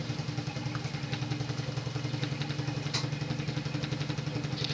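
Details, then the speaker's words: Emerson (Sears) 52-inch friction-drive ceiling fan, late 1970s, solid-state speed control: steady low hum with a soft knock about six times a second, quickening with speed; rubber drive wheel deformed from disuse causing knock. "the friction drive is loud as hell especially when the drive wheel has a deformity"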